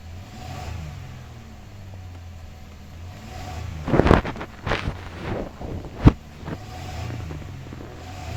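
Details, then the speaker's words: Toyota Camry that stalled, misfired and cranked long, after a new ignition coil and air flow sensor cleaning: even low hum with no stumbles, picks up well, but revs hang high from an idle raised earlier; idle needs adjusting down. "আলহামদুলিল্লাহ এখানে গাড়ি start করছি গাড়ি এখন pickup ভালো নিচ্ছে কিন্তু এখানে রেস অনেকটা বেশি আগে থেকে বাড়ানো ছিল এটা এখন এডজাস্টমেন্ট করতে হবে"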